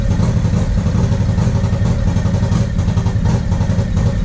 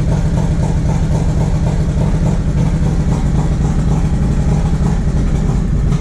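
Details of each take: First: 1994 Harley-Davidson Road King FLHR, original 80" EVO, Carl's Speed Shop heads, CV40 carb, Screamin Eagle air cleaner and 2:1 exhaust: ragged V-twin chugging at low revs with skipped firing pulses, a stumble/hesitation/misfire on light throttle caused by a carburetor fault. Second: 1994 Harley-Davidson Road King FLHR, original 80" EVO, CV40 carb, Screamin Eagle air cleaner and 2:1 exhaust, after the carb fix: deep, steady loping V-twin beat with a few faint exhaust pops, healthy running without sputtering.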